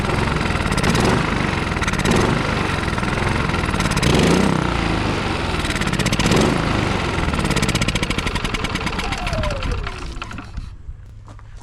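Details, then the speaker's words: Westinghouse iGen4500DF inverter generator, stored almost a year, runs only on starting fluid sprayed into the air intake. It fires and runs rough and uneven for several seconds, then pitch sags and it stalls. Owner suspects old fuel and plans to pump it out. "she runs which tells me that uh the issue is probably in the fuel so let's get that old gas pumped out of there and uh see if that helps"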